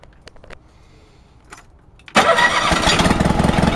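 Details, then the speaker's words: Honda HT3813 engine during compression testing (front cylinder about 90-95 psi): a few clicks, then it starts well but runs lumpy and uneven, about three beats per second, on only one cylinder at first startup; no valve noise; owner guesses valves. "it starts up really really good but like I said in previous video it only runs on the one cylinder at first startup"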